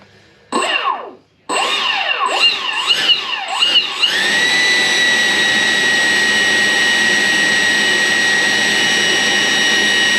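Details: 14-year-old Taft Viper Jet RC ducted fan, ESC just armed: short throttle blips give rising and falling whine, then smooth steady high-pitched spin with no rattle; normal spool-up.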